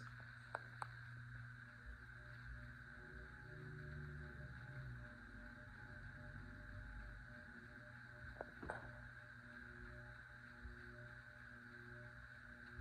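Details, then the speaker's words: 52-inch unknown-brand bronze hugger ceiling fan (Harbor Breeze Caratuck River brackets, Hunter blades, Patriot Lighting Arthur housing) on low speed: quiet steady electrical hum with a faint wavering buzz; owner suspects loose screws, cause unconfirmed. "Yes, like I was saying, this fan does make quite a bit of a hum to it. Probably some of the screws are loose."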